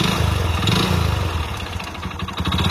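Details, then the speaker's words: Hero Splendor Plus motorcycle with failed engine: rapid hard clatter under exhaust beat sharpening as revs rise and fall; connecting rod knock. "Engine sound engine పోతే ఈ రకంగా అయితే sound అయితే వస్తది అన్నమాట మీరు గుర్తుపెట్టుకోవాలి"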